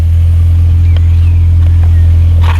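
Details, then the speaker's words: Salvage Mini Cooper R52 rebuilt with new clutch and many replaced parts: steady, even low idle hum with no whine or squeal; belt whine from before is gone, engine runs better; normal idle. "she's definitely runs better you ain't got that whining of the belt anymore"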